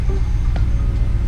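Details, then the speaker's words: BMW E53 4.8is N62B48 V8 after DISA valve replacement and PCV cap fix, previously idling rough with howling: smooth, steady low idle with even beat, no hunting or roughness; normal idle. "uh my self- leveling suspension is not working but um yeah it's no longer making that howling noise and it's also no longer running rough"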